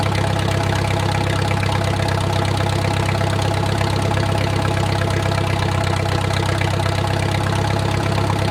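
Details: Wartime H tractor revived after 20+ years of sitting: warm, slowed idle with a steady even low chug and no knocks or ticks. A typical oil leak is burning off.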